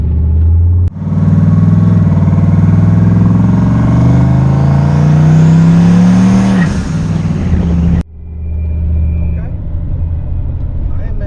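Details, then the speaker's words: Turbo LS-swapped 1996 Impala on E85, first test drive after new head gaskets and a SUM-8706R1 cam: strong pull rising steadily in pitch through a gear, clean with no misses or knocks, then lifting off. Temps, oil and fuel pressure good; normal running under load. "Running pretty good, man. Temps look good. Oil pressure look good. Fuel pressure straight."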